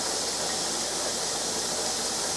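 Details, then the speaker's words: Pressure canner on stove canning turnips, vent spewing a steady stream of steam for 10 minutes to purge air before adding weight: steady loud even hiss, no sputter; normal steam venting. "now i don't know how well you can see this but you can hear that spewing that's going to spew for 10 minutes"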